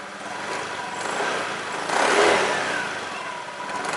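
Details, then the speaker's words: Honda Beat scooter CVT before repair: a droning hum that is faint on throttle and rises when the throttle is released; a worn rear pulley bearing is suspected. "Nah jadi Suaranya kayak gitu ya begitu turun gas begitu turun gas langsung ada suara mendengung suaranya sih rata-rata kalau kerusakan kayak gini itu ada di bearing ini ya bearing belakang ada di bearing otomatis belakang puli belakang"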